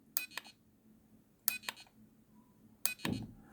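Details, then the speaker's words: Homemade fixed-wing FPV drone motion controller, unlock button pressed while not in correct orientation: three short double chirps about 1.5 s apart, the last ending in a low buzz, an unhappy "denied" tone refusing to unlock. "Hopefully you can hear it's playing a little like unhappy tone, and it's saying denied. I'm refusing to unlock. I'm not going to do it. That is because it is detected that it's not in the correct orientation."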